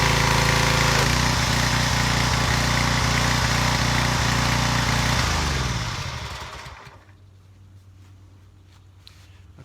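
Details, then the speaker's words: Craftsman 2700 psi, 2.3 gpm pressure washer after replacing cracked pump: small engine pulling steady and even under load at about 3.7 beats a second, then shutting down; sounds healthy, repair successful. "there you go guys simple pressure washer repair placing the pump three bolts that's all it takes"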